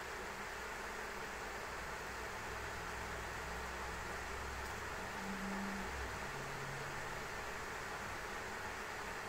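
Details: ASUS ROG Strix RTX 3090 in an XTIA case under benchmark load: steady loud airy rush with faint hum; fans flat out because three radiator fans blow hot air onto the card's cooler.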